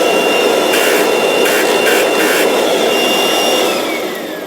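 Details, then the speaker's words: Kirby Avalir vacuum with moper system: loud whine with rough scraping hiss and bursts of harsher grinding as the brush roll rubs the tray — brush roll rubbing on tray. "and it makes a grinding noise. But what I'm curious of is, does the moper system make the same noise, or does it not?"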